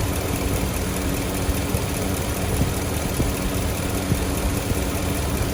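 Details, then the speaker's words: Engine idling with Amsoil Engine Flush added to the oil: steady low idle with a faint irregular tick over it, attributed to a sticking fuel injector; otherwise sounds fine. "You can hear the injector sticking, but other than that, I think it sounds great."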